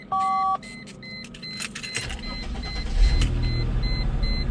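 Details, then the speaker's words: Mercedes CLK 320 V6 after replacing cylinder 5 coil pack and two new spark plug wires: short crank, then smooth even idle, no stumble or misfire, check engine light gone. "And yeah, right now it runs smooth. It's not chopping or anything, not misfiring."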